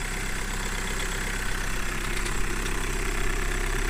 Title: Volkswagen Golf 1.6 TDI Cold Start Rattling Knocking Noise